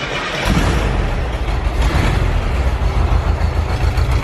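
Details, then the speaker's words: 1973 VW Bus, air-cooled, in neutral, after a fix to the dash switch powering the coil and fuel pump: it catches quickly and settles into a low, steady throbbing idle; normal start. "there we go first try too technically not first try but first try since we got the walking first issue worked out"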